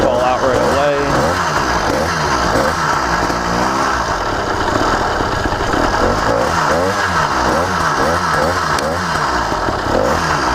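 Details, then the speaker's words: Brand-new CDH110 (true 85cc) 52mm iron-sleeve two-stroke motorized bicycle engine at first start-up: uneven burble that chugs and sags between blips, struggling to hold revs; owner says it sounds rich, not confirmed. "first time I'm firing up this motor ever since it's brand new firing sounds Rich because it wants"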